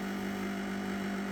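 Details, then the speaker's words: A ProBreeze dehumidifier, about two months old and used in a cellar, runs with a strong, steady low hum and a constant fan rush. It is audible two floors up, too noisy for its age. "Only had it a few months. Shouldn't be that noisy."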